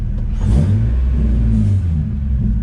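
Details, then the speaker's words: Nissan 350Z that went into limp mode, fixed via a rubber grommet, check engine light off: deep, even rise and fall of revs with no misses, knocks or rattles; normal rev. "that sounds normal yes sir yes sir"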